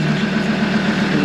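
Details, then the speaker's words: Dirt nationals race vehicle starting after a broken crimp on the starter wire was repaired, following a no-start: steady, even, healthy idle with a smooth low drone and a faint regular pulse, no knocking or missing. "So, I've just repaired that wire down there to the start. See what happens. That's a good sound."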